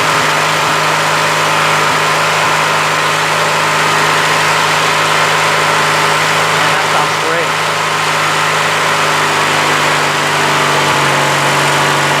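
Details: Craftsman LT1000 lawn tractor, Briggs opposed-twin 19.5 hp, after draining water-contaminated gas, new fuel filter and blown-out carburetor: steady even drone, no misses or knocks; running smoothly.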